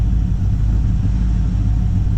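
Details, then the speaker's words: 1954 Chevy Cabover (COE) small-block Chevy V8 idling low and lumpy with an uneven chuff and wobble; rough idle. Turning the idle circuit screws barely changes rpm, so the owner suspects it is flooded and running very rich, or a clogged choke circuit; unsure. "you know, idle circuit screws, it basically doesn't change the RPM, so it just seems like it's flooded, just they're really rich, or maybe, yeah, I don't know."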